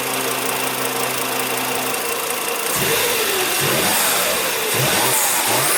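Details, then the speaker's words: 2006 Volvo XC90 2.5T AWD after a cold air intake install: light rapid tick three to four per second at idle, rising with revs; owner suspects timing belt tensioner. "I think something's wrong with the timing belt tensioner with that sound reminds me of my Marquee Jetta"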